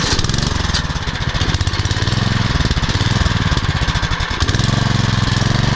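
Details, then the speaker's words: Troy-Bilt Super Bronco CRT rear-tine tiller, 208cc overhead-valve engine, after cleaning fully clogged carburetor jet, still burning old gas: single cylinder chugs at fast, steady pulse with even firing, no misses or knocks; running well. "all right let's running look at that run a little bit here going let us sit here and run a bit and this Troy build super bronos is running much better now"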